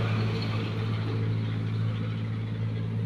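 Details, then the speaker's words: Honda Wave S single-cylinder after new piston, rebored cylinder, new cam and rocker arms, fixing head clatter and white smoke: smooth, even low hum at idle with no knocking or ticking; engine healthy. "ตอนนี้ก็เปลี่ยนลูกสูบไปแล้วคว้านลูกสูบใหม่แล้วก็เปลี่ยนแคมเปลี่ยนตัวกดวาใหม่ทีนี้ก็จะมาสตาร์ทให้ทุกคนมาฟังเสียงกัน"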